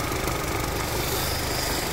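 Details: Freshly repaired MINI Cooper (BMW-built) engine idling after head gasket replacement following 2 years standing and corroded cooling system; new thermostat, housing, gaskets, skimmed head. Steady, even, quiet hum with no knocks, ticks or misses; normal idle.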